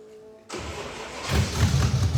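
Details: Roadkill Plymouth Duster V8, still cold: it cranks and catches with a sudden deep, loud, uneven blat that rises with revs, typical of a split header leaking.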